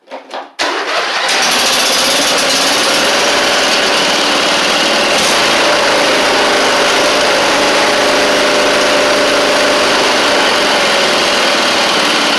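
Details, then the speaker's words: Huskee Supreme 50-inch riding mower with a Briggs V-twin, after sitting, running on choke with smoke: fast but uneven, lumpy, stumbling beat, a misfire; the carb needs cleaning. "oh oh it's still not right what I'm doing is I'm trying to burn it off of The Buck of my pull up choke it work or it will fire the second ch and you can hear it there too"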